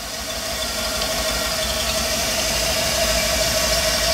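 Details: 1988 Chevrolet Cheyenne OBS truck with LS 6.0 V8 swap and 80E transmission: steady high squeal over the running V8 as the serpentine belt rides on the back of a pulley and jumps off; cause unknown, smaller belt considered.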